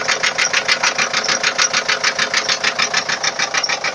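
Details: 2004 Ford Transit 2.4 TDI diesel at idle with sharp, even ticking about three times a second over the running note; engine knock, cause unknown.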